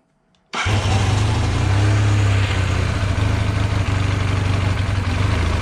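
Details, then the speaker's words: 1978 Honda CB400A Hondamatic with throttle stutter, after swapping in a spare rebuilt set of VB24 carbs because the original right carb's idle/air jet was damaged: starts straight away, idles steadily, revs and drops back cleanly. Normal start and rev. "That's definitely what it's supposed to sound like."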